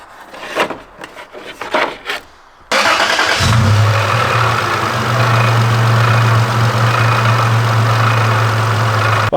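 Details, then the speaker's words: Toyota 4Runner idling with all belts removed: a rough rattle about four per second that stays without the belts and almost goes away under load. It was diagnosed as a cracked flex plate. "guys I found the issue is nothing up front it's not the water pump it's not the alternator it is none of that it is a cracked flex plate"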